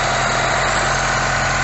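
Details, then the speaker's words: Ford Taunus (Cortina) estate, Weber 32/36 DGV carburettor with auto choke, after freeing sticky choke flap: choke engaged, steady even fast idle around 1,000–1,200 rpm, no misses or hunting; normal choke fast idle. "okay so we've got the car started and the uh the choke choke is engaged as you can hear"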